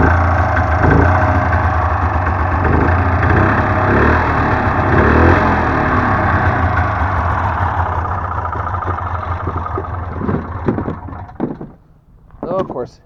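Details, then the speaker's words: Modded 1993 Polaris Indy 440 two-stroke snowmobile, sat two years, started with ether, recoil starter: lumpy, uneven idle that fades, stumbles and dies; rough running, owner blames the long sitting. "dies so it is running it's not that's not running great but that might be to the fact it's been sitting for like two years doing absolutely nothing"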